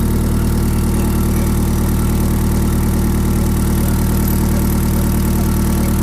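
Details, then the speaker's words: YB Cosworth turbo-engined Mk1 Escort, first run in 5 weeks after fuel leak repair: smooth steady idle at 1,000 rpm, oil still cold, good oil and fuel pressure, no boost, no leaks; normal idle. "We got a constant fuel pressure ticking over at 1,000 revs. There's no temp in the oil yet, but we got plenty of oil pressure. Not making any boost. It's just idling."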